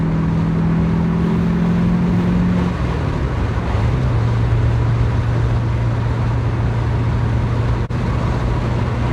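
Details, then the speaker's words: 1991 Porsche 944 S2 swapped to a Chevy 6.0 LS L77 V8 (450+ hp), retuned, in fifth gear at 50 mph and about 1500–1600 rpm with the windows open: a deep, steady, smooth drone; normal low-rpm cruise. "i love that fifth gear 50 miles an hour drops right down to like 15 1600 rpms and it just runs real nice there"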